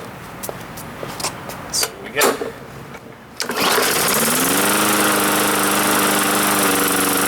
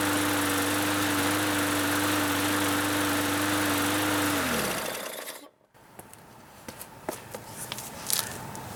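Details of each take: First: Free Bolens (MTD) 21-inch push mower, varnishy old gas, after priming: several pulls then small single catches and settles into steady buzz; cuts out shortly after starting, carb cleaning suspected needed. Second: Bolens (MTD) 21-inch push mower, after carburettor cleaning and fresh fuel (previously cut out after startup): steady, even drone for several seconds without surging or cutting out, then winds down at shutoff; running normally.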